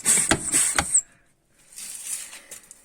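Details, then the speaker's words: 2001 Audi A6 C5 Allroad air suspension, front left strut with air let out and wheel removed, strut jerked up and down by hand: sharp hollow clunks about twice a second, suspected worn strut top mount bushing. "вот сейчас попробуем за стойку подергать вверх вниз то есть воздух из него баллона вытравил а там где отверстие ключиком на 10 выкрутил трубочку вот и когда дергаем за стойку я думаю прекрасно слышно"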